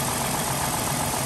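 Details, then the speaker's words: 2005 Dodge Grand Caravan 3.3 L V6 at about 192,276 miles, after adding an oil stabilizer: steady idle with a rattly valvetrain clatter, quieter than when bought. "yeah you can hear some valve platter it actually sounds better than it did when when i bought it"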